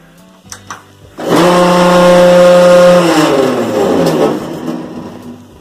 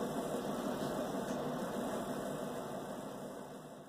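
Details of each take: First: Bosch WTVC3300US/10 electric dryer: a loud droning hum with a rough rubbing edge at drum start. A slipped motor hold-down bracket let the motor rise, so the hex drive-shaft end rubbed the tensioner wheel. Fixed by reseating the motor under the bracket. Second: Bosch WTVC3300US/10 electric dryer after repair: smooth, even whir with a soft rumble about three per second, running normally. The loud noise came from the motor's hex drive shaft rubbing the tensioner wheel after the motor bracket slipped; the motor was reseated under the bracket.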